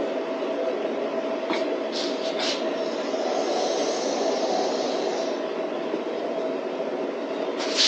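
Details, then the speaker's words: DIY waste oil burner after further adjustments: even, steady roar of flame and blower with no sputter or pulsing; burning cleanly, running well. "One thing for sure, it's really, I don't know if you can hear it in there, but it's really making a roaring noise."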